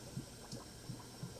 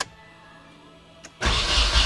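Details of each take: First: Nissan 240SX overheating, combustion leak test cylinder by cylinder: rhythmic low gurgling glugs, about three a second, as air bubbles up through the coolant at cylinder 4, confirming a blown head gasket there. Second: Nissan 240SX, first start after replacing fuel lines, timing possibly off, during ongoing overheating/stuck-thermostat troubleshooting; short crank then steady even idle, no misses or knocks, responds to throttle, runs healthy: normal idle (still overheats later on drive).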